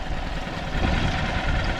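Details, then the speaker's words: Small single-cylinder outboard from an estate sale, run on fresh fuel after choke and a little throttle: steady, even low putter at lowest idle, no misses or knocks; healthy idle once warmed up a little. "Oh. Well, that's a pretty good pretty good idle. I think she just needed to warm up a little bit."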